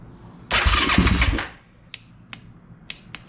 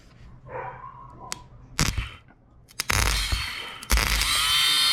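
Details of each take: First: Yamaha YFZ450 with grounds tightened and carburetor refitted, choked with a little gas: engine cranks about a second without catching, then only lone dry clicks; back to the same no-crank problem. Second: Yamaha YFZ450 electric-start ATV whose starter button stops working after one start: starter motor tested, spins up to a clean, steady high whine without grinding or stutter; starter is good, fault lies elsewhere.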